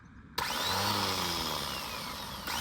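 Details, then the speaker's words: Old Renault 4x4 timber lorry, solenoid suspected stuck: starter motor whirs freely at high steady pitch with no engine cranking, pinion not throwing out to the flywheel; starter pinion not engaging. "She's not throwing out. It's need more hands for this."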